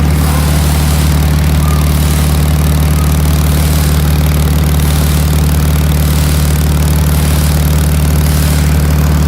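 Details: Land Rover LR2 petrol engine idling with deep steady drone and regular puffing beat; exhaust leak from cracked front muffler (one of two mufflers), soot trail around crack.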